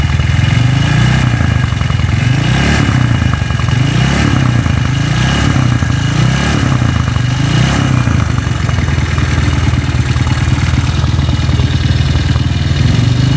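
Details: Honda CB-engine motorcycle that vibrates badly with a harsh engine and a loose-sounding rocker arm in the head: a coarse, uneven idle with a heavy, lumpy beat and surging about every second, consistent with a worn camshaft.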